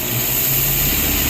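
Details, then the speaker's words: Datsun Roadster with EFI conversion, engine idling: low steady drone shifting in pitch as a capped intake vacuum port is slowly uncovered by thumb, simulating an idle air control valve adding air. "so here the car's running and I'm slowly uncapping this and you can hear that the idle is changing"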